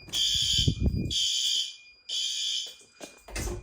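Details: Fire alarm test in a house and garage during November testing: a loud high-pitched tone in repeated bursts about a second long with short gaps; the fire alarm sounder works properly.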